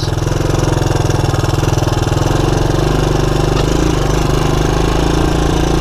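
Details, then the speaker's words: 1984 Honda ATC200ES Big Red single-cylinder ATV on a 12-volt DC CDI ignition upgrade, idle mixture opened about one and a half turns after poor running; slow, even thump ticking over with no misses or knocks, normal idle. "normally i just open the idle mixture up one full turn and this all happened this one was a little fussier i had to give it another little more than a half a turn yeah i'm happy with it"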